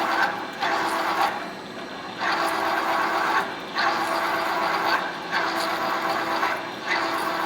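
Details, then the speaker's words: Big open, non-enclosed CNC mill with coolant drilling a 6x135, 1 3/4 in thick track adapter (program RT105): cutting noise surges and drops about every 1.5 s as the big drill pecks in and retracts; normal peck cycle. "But same thing, it's going to go down and it's going to peck at it and pull little bites out just like that. You can hear it engaging and disengaging."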